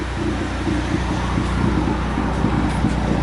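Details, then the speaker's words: Ford ST after random misfire, rough idle and power loss under boost, fixed by new MSD coil packs after spark plugs didn't help: steady, even smooth idle, no stumble; engine healthy. "alright guys so the new clothes are in the sea problem solved no more idling issues cars idling fine"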